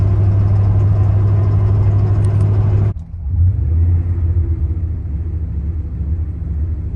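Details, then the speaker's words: 1997 Dodge Ram 1500 5.2L 318 V8, long stored, was smoking, plenum gasket just replaced: steady rumble stumbles and misses, then revs surge and hunt. Gummed-up idle air control suspected; possible pinging noted, unconfirmed. "Well, that's missing and revving up and doing some funny things there. Probably that idle air control maybe is gummed up a bit."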